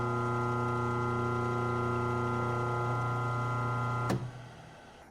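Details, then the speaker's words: Grizzly G4003 lathe motor run with no load: clunks and slams at start, then steady hum with a throb about four times a second until switch-off; motor definitely out of balance, not from the small pulley. "But, you know, as far as the way it's spinning, it it's definitely out of balance."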